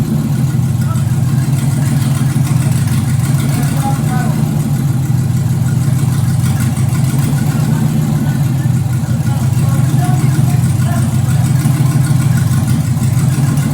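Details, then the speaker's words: Pontiac Solstice with swapped Gen V L83 5.3L LT V8 (355hp), E92 PCM, PSI harness: first fire-up after deleting low-pressure pump, ignition and emissions codes in HP Tuners; deep, even idle, steady, no misses, knocks or hunting. "It runs! Alright, we got a V8 Deathkart Solstice. Gen 5 LT. Awesome."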